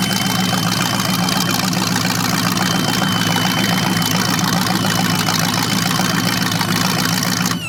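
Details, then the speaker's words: Chevrolet 350 V8 (3970014 block, from 1970 Camaro) on engine run stand, first run with 600 CFM carburetor: thin steady high squeak over lumpy idle, seemingly from carburetor, cause unknown; otherwise running well. "yeah some sort of a squeak coming from something sounds like the carburetor but it's running good"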